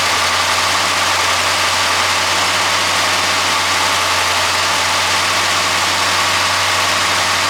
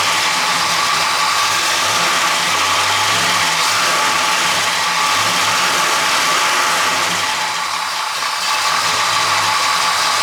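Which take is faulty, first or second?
second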